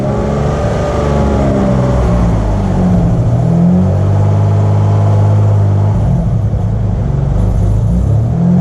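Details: Turbo Probe back on the road after sitting 14 months, bad fuel pumped out, fouled plugs, new belt tensioner ordered: deep steady rumble swelling and easing as the throttle is blipped, pulling smoothly without knocks or rattles; normal running.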